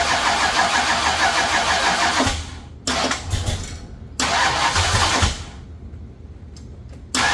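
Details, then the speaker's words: Ford Thunderbird Town Landau with swapped 460 V8 and C6 transmission, first start: short cranking bursts with uneven, stumbling firing, and it won't stay running. The carb sprays fuel; owner suspects ignition timing. "Uh, it doesn't want to stay running. Well, seems like timing."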